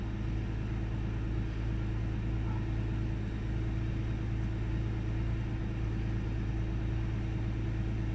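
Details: 1998 Ford Taurus SE OHV V6 at idle, hood open: low steady rumble, slightly uneven beat with occasional faint stumble and mild rpm fluctuation; intermittent rough idle, cause unknown.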